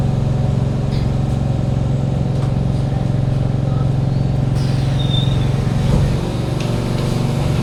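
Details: Kawasaki Heavy Industries C151 train 067/068, East-West Line, recorded in carriage 1068 near doors A4/B4: a constant deep hum and airy roar from unusually loud saloon air-conditioning and ventilation, which at some points subsides only at a full stop.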